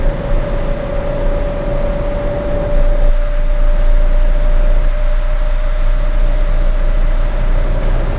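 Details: Citroen C4 Grand Picasso cruising at about 1700 rpm under light load: deep steady 28 Hz drone, once per crank revolution, stopping with slightly more or less throttle; dealer calls it normal, owner disagrees, cause unknown.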